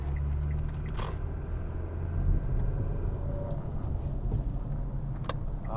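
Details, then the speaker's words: Kia Optima test drive after replacing the rod bearings: smooth, even drone that rises and falls with road speed, with no knock under load; shifts better and the rod knock is gone. "she's definitely shifting a lot better than she did there's no more rod knock"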